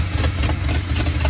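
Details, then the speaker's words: 1950 Ford F1 pickup engine that sat for years, running after the points, cap and rotor were cleaned and fresh fuel was added. Low, chugging idle with a steady firing rhythm and no obvious misfire; possibly a slight backfire. Normal running. "Sorry I didn't catch the actual startup, but after I cleaned the points and the cap and rotor over there, I just put some fuel in it, and it fired right off."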